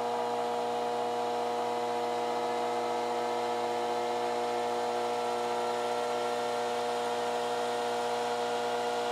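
Even, steady whir over a constant hum, with no rattle or scraping; the amplifier's cooling fan is running fast and healthy.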